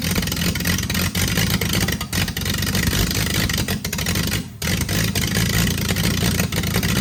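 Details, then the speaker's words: Freshly rebuilt Triumph TR6 six started cold, on chokes, carbs not yet adjusted; revs unevenly in bursts, catching and sagging with a brief near-stall. "But it starts, it's alive, so. It's cold and these carbs are not adjusted, so I don't know."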